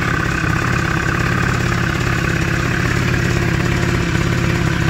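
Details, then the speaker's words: Engine runs rough with an uneven, lumpy beat and no steady rhythm. It is also not charging, and the cause of the rough running is not yet known. "Yeah, you can hear it and it's running. It ain't right."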